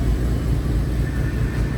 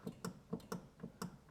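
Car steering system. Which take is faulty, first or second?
second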